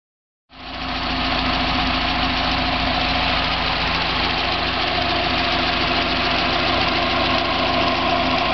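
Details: 1990 Mazda Miata petrol engine at idle with a steady, even rattling knock about four beats a second, separate from the HLAs when accelerating or decelerating; persists with 93 octane; owner suspects rod knock or spun bearing, unconfirmed.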